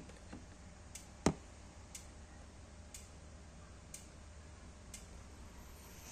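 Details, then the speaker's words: Yamaha Aerox that wouldn't start due to a broken injector wire, now repaired, injector actuation test via ECU scan tool: crisp single ticks about once a second in a quiet room; injector opening normally. "Ini kita ngecek injektor, pas saat kita action ini dia akan bunyi ya. Ini saya akan klik action. Kalian dengerin di area sini harusnya ada bunyi ya. Kita coba lagi ya, bunyinya tik tik tik."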